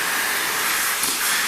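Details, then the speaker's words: Gas welding plant oxy-fuel cutting torch while cutting: loud, harsh, steady rushing hiss with no flame pops; this sound should not occur and can ruin the torch tip. "ये आवाज़ सुनिएगा, ये देख रहे हैं आवाज़, ये नहीं होनी चाहिए। जब ये होगा तो अगला जो मुँह इसका ख़राब हो जाए।"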